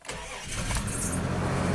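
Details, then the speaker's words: Isuzu Rodeo/Honda Passport starting after wiring harness correction and coil swap: brief crank, catches cleanly and settles into even idle with no stumble; normal start. "let's drive it and see if she runs well it's running perfect"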